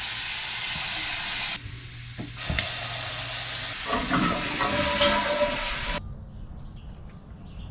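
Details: House toilet flush test on newly installed E/One sewage grinder pump system replacing a failed septic: strong rushing water cuts off cleanly after about four seconds, then quiet trickle; flush drains freely to the pump, system working.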